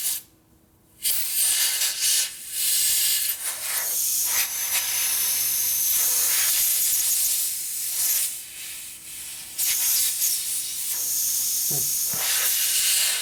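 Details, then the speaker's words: Harley panhead wheel inner tube tested after fitting a new valve core. There is a sharp, continuous hiss of escaping air, strong apart from short gaps. The tube itself is faulty, not the core or stem, and a new tube is needed. "This is leaking. It's leaking. Now it's really leaking too. There's something wrong with this tube."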